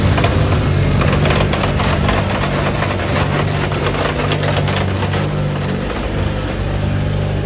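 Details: 1987 John Deere 420 garden tractor, 20 HP Onan gas engine, 1897 hours, running: steady, even low rumble at one speed with no knocks or misses; normal, healthy running.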